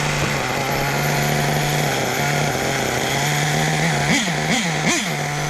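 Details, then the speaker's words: Small nitro RC engine (Hobao) with a high steady buzz, then three quick dips and recoveries near the end; owner suspects the clutch shoes are grabbing and momentarily locking up. "What the hell is that noise? Because there ain't nothing else moving. I bet it's my clutch shoes, because it's locking up. It's locked up for a second."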